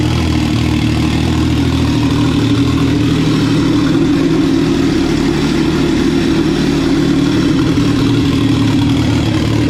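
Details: Personal watercraft, said to run great; smooth, even idle with a steady low drone and no knocks or misses; healthy.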